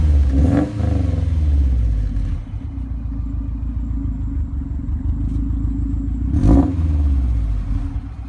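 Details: 2008 Subaru STI turbo engine after rebuild for a spun bearing plus a new turbo, idling with a steady, even low rumble and no knocking or ticking.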